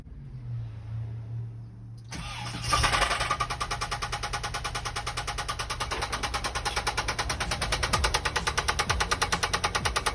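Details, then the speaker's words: VW Vanagon 1.9 engine due for replacement: cranks and catches, then settles into a lumpy, uneven idle pulsing about three times a second; running badly rough, cause not confirmed. "i wanna just go ahead and start it to show you guys how freaking terrible this sounds"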